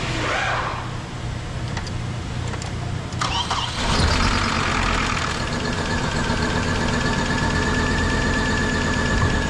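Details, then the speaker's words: 2008 Hummer H3 started after unplugging shorted ignition coil number 5 and replacing blown fuse 33. It catches and settles into an uneven, lumpy loping idle running on four cylinders, pending coil replacement. "so Ayun mga kasero kantar Ang problema nga yung coil Number 5 sorted na"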